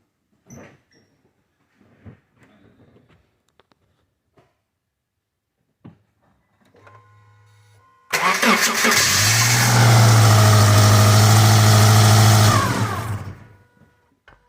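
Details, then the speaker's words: 2005 Subaru Outback 2.5 after timing belt replacement, first test fire to check timing: brief crank, then fires straight away and settles into smooth, even idle with no ticking or slapping; healthy. "We're going to test fire it and see if it fires up. Make sure the timing sounds good and make sure that it's happy."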